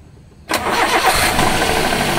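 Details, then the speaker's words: Daihatsu Gran Max 1.5, 166,000 km, in neutral, complaint of rough engine: starter catches fast, then a hard, rapid knocking rides over the rough idle; engine to be removed and torn down. "nah ini keluhannya itu mesinnya kasar Nah kita juga enggak tahu sih e kasarnya itu dari bagian apanya nih"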